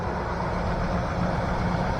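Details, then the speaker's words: 2003 Chevy Tahoe 4.8 LS V8 with 215K miles, idling in a junkyard; smooth, even low idle hum, quiet with no lifter tick, slightly noisier on the bottom end; healthy engine. "Nice and quiet too. No lifter tick."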